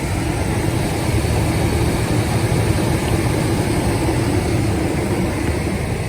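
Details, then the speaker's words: 2004 GMC Sonoma 4.3L Vortec V6 idling right after a spark plug change (ACDelco plugs gapped .060): deep, steady, even rumble with no misses or stumbles. Owner says it sounds far better than before, when it showed a check engine light. "This sounds 100% better already. Nate, I can already tell. So there we have it, guys. It sounds a lot better."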